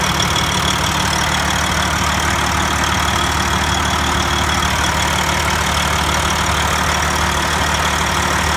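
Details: Detroit Diesel 14-liter engine in a Freightliner, overhauled in frame, head overhauled twice: clicking at idle, a light metallic tick about three per second from the exhaust pipe, also heard on the exhaust manifold with a stethoscope; shops say normal, owner disagrees; cause unknown.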